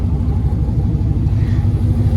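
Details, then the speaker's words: Auction Camaro SS with a junkyard V8 engine and headers, running on 91 octane: deep, even rumble, quieter than expected, steady beat with no knocks or misfires; normal V8 running. "really beast like it honestly sounds real good with those headers I thought it was gonna sound a lot louder"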